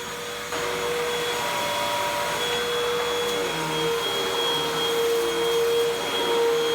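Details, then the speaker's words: 2012 Hoover WindTunnel 2 Rewind UH70820 vacuum: strong even motor roar with steady high whine, no grinding or surging; smells terrible but motor runs normally. "oh smells terrible but otherwise seems fine"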